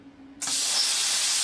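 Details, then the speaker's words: Plasma cutter with an upgraded P90 torch, now fitted with a smaller-hole consumable tip: a sudden, steady, even roaring hiss as the arc strikes, with no crackle or spitting. A clean, normal arc start, much better than with the larger tip. "that guys it's a lot better right it doesn't spit and start"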